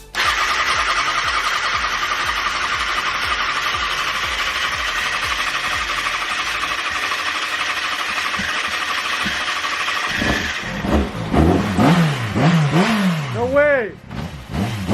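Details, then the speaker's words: 2007 Kawasaki Ninja ZX-6R, 5k miles, sat 10 years, first start after fuel pump install with homemade replacement cables, bad smell noted: engine fires and holds a steady, even idle for about ten seconds before other noise; normal running. "it turned on dude that's crazy hell yeah oh it smells bad it smells really bad though"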